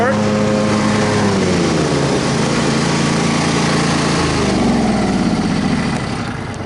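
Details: Troy-Bilt Super Bronco riding mower after restoration: the single-cylinder engine holds a steady beat, dips slightly under cutting load and recovers cleanly. The pounding is gone and it cuts grass normally.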